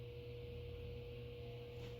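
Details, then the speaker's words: Central AC indoor unit with thermostat set to cool: low steady hum with a faint tone around 500 Hz but no airflow, blower motor trying to start and failing while the outdoor compressor spins; bad run capacitor. "you hear the sound like he's trying to do something but nothing's happening usually there's a louder sound that comes with it when the AC is turned on"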